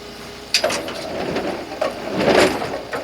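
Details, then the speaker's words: Brunswick GSX pinsetter sweep wagon after oiling pivot points, running the sweep: a few soft clunks and smooth slide, no pivot squeal; squeak was just a dry pivot point, now running quietly. "looks really good no more squeaky so it was just a pivot point huh good to know you guys"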